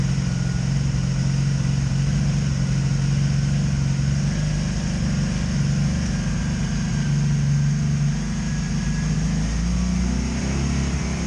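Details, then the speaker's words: 2002 Honda Magna VF750C, misfiring and backfiring, misfire now felt on all four cylinders even after replacing ignition coils; owner suspects CDI box; low, lumpy idle with uneven beat and occasional stumbles; misfire. "huh that's weird yeah you're gonna hear a misfiring though oh all right well that pretty much continues it continues to disappoint"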